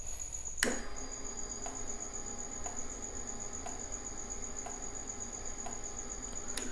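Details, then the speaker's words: Normal injector clicking on a Yamaha R1 in the diagnostic-mode actuation test (code 36, injector 1): five crisp, evenly spaced clicks about one per second over a faint fuel-pump hum; injector opens cleanly and is not sticking. "it sounds a bit like an indicator, but it's the actual injector clicking. So you know that it's good."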